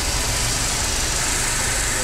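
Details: Mercedes with 271 engine at idle; owner reports shaking when started cold in the early morning: steady, even idle with no stumbles, shakes or missed beats over a hissy background; the engine runs smoothly.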